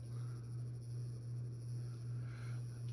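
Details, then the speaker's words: Hampton Bay 42-inch Landmark close-mount ceiling fan on medium speed with cheap LED bulbs fitted: a steady low motor hum pulsing about twice a second under a faint rattle from a loose glass globe; the bearings are silent. "can hear there is some motor noise though, and a globe rattle. But that's to be expected when you buy a Hampton Bay fan."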